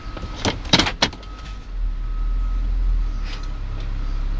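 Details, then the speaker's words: 2007 Toyota Sequoia SR5 4WD, hard to engage or leave 4WD: in Drive, relays behind glove box click rapidly over low engine hum as 4 High disengages, with slight shake; switching working. "The relays from behind the glove box went click, click, click, click, click, click, click, and it went off."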